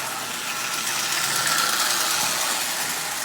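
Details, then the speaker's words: 85-year-old prewar Marx 999 tin litho locomotive, lubricated only, running at about 30% power: a thin buzzy motor whir with a light tick about four a second as a push rod hits the bent front crossbar. "the front crossbar is slightly bent so you'll hear it ticking as one of the push rods is actually hitting the end of it right there"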